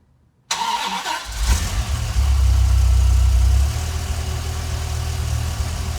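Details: Ford 5.4L 3-valve V8 after rebuild; before it ran so violently the engine rocked: quick start, clean rev rising and falling smoothly, then low even idle with no miss or knock; now steady and smooth.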